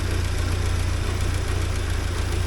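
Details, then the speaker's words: 1979 Porsche 924 after timing belt work, warming up with the air pump and A/C not connected: steady, even low rumble with no misses or knocks as the idle smooths out. "anyhow this is starting to warm up now and sound sound more like a motoring"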